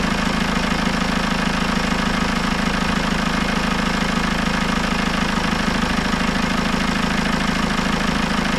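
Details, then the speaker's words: Citroën C4 Grand Picasso 2.0 Blue HDI 150 diesel, first start after head gasket repair and engine refit, coolant bled, no overpressure after 20 minutes: smooth, even idle with steady low beat, no knocks or misses; runs very well. "je va juste vous la démarrer une fois pour que vous rendrez compte que ça ça tourne très très bien"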